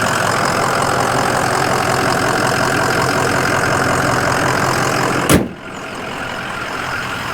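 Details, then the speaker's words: 2005 Ford Excursion Limited 6.0L Powerstroke diesel 4WD (ARP head studs, Banks exhaust, upgraded turbo and injectors, EGR delete), recorded under the hood: steady, even diesel clatter at idle, no knocks, misses, blow-by or smoke, one sharp thump near the end; normal healthy idle. "Sounds great, no weird smells or sounds, no smoke."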